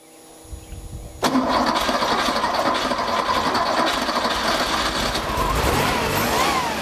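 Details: Rebuilt Porsche 2.7 L CIS-injected engine after electrical repair of the auxiliary air slide: brief crank, catches and settles into a steady, even idle with no racing; high idle resolved, stop slightly rough, tuning still to do, cylinder 2 misfire still being checked.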